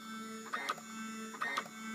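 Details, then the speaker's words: Duplex chemical feed control panel in manual entry set to 100 gallons per minute flow: chemical metering feed pump turns on and runs at 7.78 gallons per hour, steady hum with paired clicking strokes about once a second; normal operation. "You can hear that the chemical feed pump just turned on."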